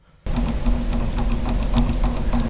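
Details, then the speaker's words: FLSun Q5 delta 3D printer with Duet board, arm rod-end joints held by rubber bands, mic up close: light irregular click-click ticks over the motor drone as arms move; lash, slight play in the joints. "hear that kind of click, click, click, click, click. That's the lash. That's the play in that system."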